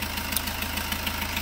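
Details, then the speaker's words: Fiat Punto 3 diesel, late model, bonnet open, engine idling: sharp regular tick about six or seven a second above the clatter; leaking injector seals blowing compression back. "alors qu'est ce qu'on entend quand on our le capot et quand on laisse le moteur allumé les joints des injecteurs cause plus ou moins connus aux classes qu'on entend on entend le retour de pressions"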